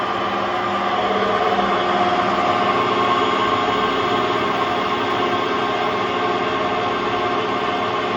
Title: Hotpoint Aquarius WMA50 washing machine || Bad bearings!